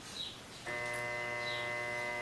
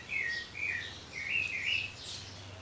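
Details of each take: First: Consul/Brastemp washing machine motor bench-tested on mains: a steady electrical hum with no spin-up, motor fails to start; two new capacitors didn't help, so the motor itself is bad. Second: Consul/Brastemp washing machine motor bench-tested off the machine, wired through its capacitor to an extension cord and spinning in one direction: a clean, steady hum settling into an even run; normal running, one winding direction good.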